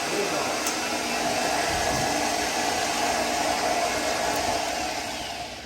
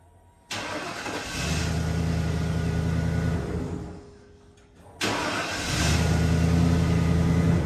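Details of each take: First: 1995 Ford F150 after a starter swap: a loud steady whirring grind stays at one pitch after the engine fires, then fades, so the starter is staying engaged. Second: 1995 Ford F150 in a repeated start-stop test done 10 times: a brief crank, it catches cleanly, shuts off and fires again quickly, so starting is healthy.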